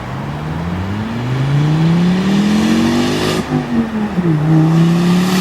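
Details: Volvo S40 T5 2.5 L inline-five, hard pulls through shifts: a loud raw blatting roar as if unmuffled, from the flex pipe leaking just after the turbo, like a catless turbo outlet.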